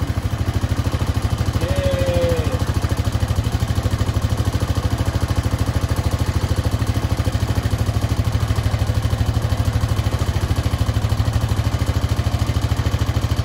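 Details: Honda Foreman 520 ATV after a fuel pump install, just started: steady, even single-cylinder putter holding a constant speed with no hunting or stalling; idles cleanly.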